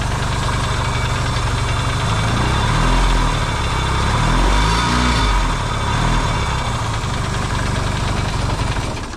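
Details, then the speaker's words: Yamaha XS650 twin, just reinstalled in frame, first start, warm and smoking (hoped break-in, previous oil-burning problem): steady idle thump about four beats a second, quiet, no pinging or odd noises; normal idle. "cool well it runs actually pretty good so it's quiet too no pinging or weird noises going on so that's a good sign"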